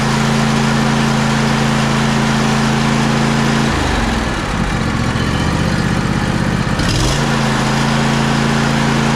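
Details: John Deere E140 riding mower after a new starter, draining water from the fuel and treating it with Phaser 3000: small single settles into a steady idle, dips briefly with a throttle change, then picks back up cleanly and runs smoothly.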